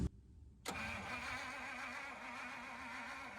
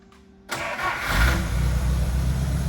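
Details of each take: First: 1950 Pontiac Silver Streak straight-8, sat almost 40 years, cranked with a test spark plug: two long even cranks, not one firing stroke. Coil grounds and has positive but no spark; cause was dirty, misadjusted ignition points. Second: 1950 Pontiac Silver Streak, sitting almost 40 years, rear jacked up: short crank, then it catches cleanly and settles into a steady, even low idle with no misses or knocks; normal start and idle.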